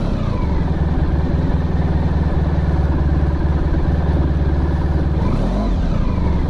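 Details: Honda ST1100 motorcycle after a full restoration (exhaust painted, wheels balanced, brakes redone), cold idle on choke. A steady, even low burble with no knocks or misses. Normal, healthy cold idle.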